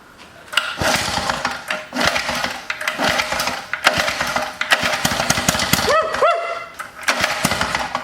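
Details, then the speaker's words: Antique Lawn-Boy two-stroke edger started after fuel cleaning, old fuel: catches then runs in ragged, sputtering bursts cutting in and out; a dented cover hitting the fan is suspected, cause not confirmed; rough running after starting. "sounds like the fan sitting on here oh yeah look at it it's kind of dented in it"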